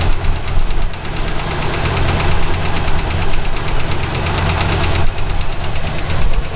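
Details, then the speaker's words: Route 66 Buick; a new noise developed while driving home. Deep, heavy knocking that gets quicker as RPM climbs and comes from down low. Owner rules out the exhaust and a lifter and suspects rod knock. "it does increase with [Music] RPM it's not exhaust I thought naively for a minute it might have been a lifter it's not sounds sounds like it's coming from down low which of course means rod knock"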